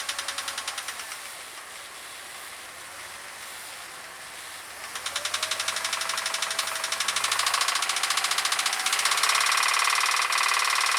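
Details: 2001 Jeep Grand Cherokee engine: sharp regular ticking/knocking that quickens and grows louder as revs climb under acceleration; cause unknown.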